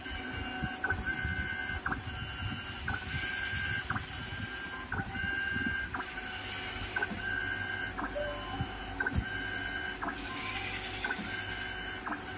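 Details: Yaskawa SGMGV-75ADC61 servo motor on a test bench after repair for Alarm 840, encoder and bearing replaced: steady whir with thin high tones and light periodic ticks, no grinding or rough bearing noise; runs smoothly.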